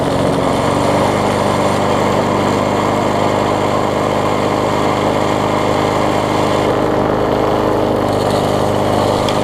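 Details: Bolens front-wheel-drive self-propelled push mower with roughly 4.5 hp Briggs & Stratton, after regapping ignition coil that sat too far from flywheel (had no spark): even, steady drone, constant firing, no misses or surging; runs properly.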